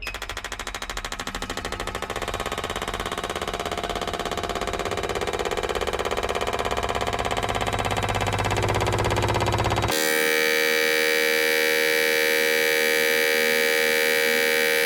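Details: Injectors from the 1200hp Taurus race engine on a bench sprayability pulse test at about 2,000 RPM. Fast, even, machine-like clicking at a steady rate, then a steady tone. Flows read 90-100, judged likely within tolerance.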